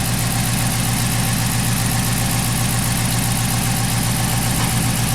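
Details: 2011 Chrysler 300 after cam and cylinder head replacement, shaky with a P0300 code. An uneven stumble about twice a second at idle; the upstream O2 sensor reads low voltage in open loop.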